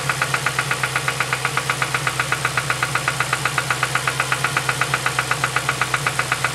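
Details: 2007 Ford Focus ZX4 ST at idle with sharp, even metallic knocking about four times a second. The knock first appeared at about 4500 rpm weeks ago; owner suspects rod knock.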